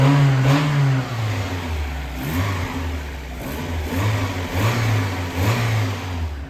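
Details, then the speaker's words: Mazda Miata just after first start following valve stem seal replacement and new head gasket; revved through smooth blips, no tapping on top, earlier odd noise gone, believed because oil had reached the top end; sounds normal. "Probably oil had to get to the top because the car doesn't make such weird sounds anymore The sound is completely normal, it doesn't make any sound anymore"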